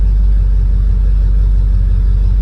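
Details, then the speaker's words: 1978 Ford Bronco V8 with Summit 600 four-barrel carb and Edelbrock Performer 400 intake, after mixture screw tuning and revving; low steady burble settling back to about 650 rpm idle, even with no misses or hunting; normal idle. "it sounds like it went right back to where it needs to be"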